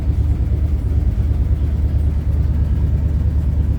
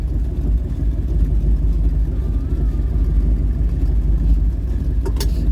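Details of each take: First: Old Ford daily driver at idle, not fully warm: low loping idle of about three pulses a second with a hollow missing beat; dead cylinder, number five not firing, later confirmed by badly fouled spark plugs, plugs to be replaced. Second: Old Ford truck "Bonnie" V8 idling about 750 rpm on a cold day after badly needed spark plug replacement: low, steady even burble with no misses, sounds way better; normal idle.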